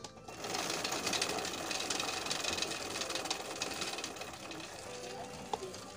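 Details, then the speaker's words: Suzuki Satria FU motorcycle: fast, busy metallic rattle and rub from the drive chain running on a chain slider worn thin, which is due for replacement. "itu salah satu contoh Kenapa yang bikin rantai berisik ya guys ya"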